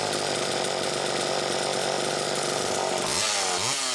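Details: Chainsaw test run after fuel tank mounting repair (screw pushing tank into crankcase to take up slop), muffler cap a little loose: high two-stroke buzz holds steady under cut, revs rise and fall cleanly on release; healthy, normal running.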